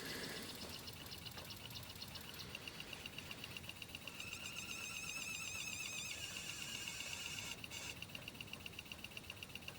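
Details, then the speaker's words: Pioneer PD-4100 CD player stored about 10 years, laser power adjusted to 0.39: soft, regular ticking two to three times a second over faint whir as the drive searches and won't read the disc; maintenance suspected, not confirmed. "Starts up, track 1. Well, still not reading it."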